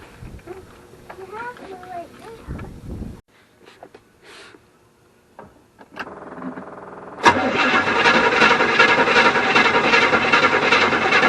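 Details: 1974 Avanti not run for a long time, battery being charged: steady, even cranking at roughly two and a half turns a second but never fires; no-start, no fuel yet in carburetor, spark still being checked.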